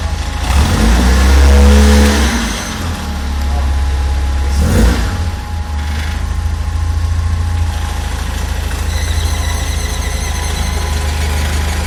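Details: 1996 Fiat Uno Mille at idle: steady low idle with an uneven rumbling rattle underneath that stops when the clutch pedal is pressed and returns when released; clutch-related idle noise, cause unclear.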